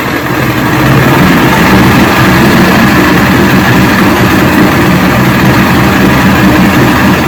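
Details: 1970 85 hp Evinrude hydroelectric-shift outboard, about 50 years old, first start on choke and key during evaluation: loud, steady two-stroke drone with no misses or knocks, running cleanly.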